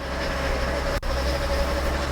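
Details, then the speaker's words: Swapped GM 3.6L engine in an SUV, replacing one with a failed timing chain, on first start after priming: a steady rumbling low end with a thin constant whine; noise source unknown. "all right here we go i don't know what that noise is in there but"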